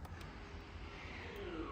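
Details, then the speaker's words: 2021 Ford Expedition MAX Limited 4x4 3.5L, rear electric parking brake actuator cycled during service-mode procedure: faint electric whir from the rear rising in pitch then dropping as the motor loads; normal parking brake apply. "So on, off, and you should hear the noise coming from the back."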